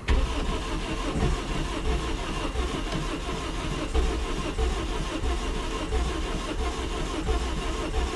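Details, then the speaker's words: 1993 Geo Storm with a blown head gasket after water pump failure, restart after Steel Seal, radiator cap off: engine labours and chuffs unevenly, a thump about once a second; gasket too badly blown, blowing out water. "well um I guess uh it was just blown too bad I guess there's some things that still seal can't fix yeah it's just blowing out so much water right there shouldn't be doing that"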